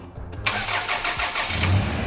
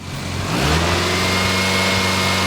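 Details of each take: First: Small engine (about 4.5-5 quart capacity) grossly overfilled to roughly 15 quarts, just started: oil shoots out, and it settles into an uneven, lumpy idle with a wavering beat as the crankshaft strikes the oil; oil pressure still about 25 PSI. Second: Engine overfilled by 3 extra quarts of oil, warmed up and revved: climbs from idle and falls back smoothly with no knock or tick; oil pressure stays around 25-30 PSI, so running normally despite the overfill.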